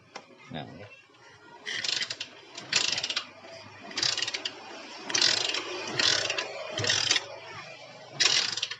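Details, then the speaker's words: Yamaha Jupiter MX that won't start: seven rasping kick-start strokes spin the engine over but it never fires, with fuel flow to the carburettor starved; spark plug checked first. "Nah ini dia punya masalah nggak mau hidup lah, intinya seperti itu ya."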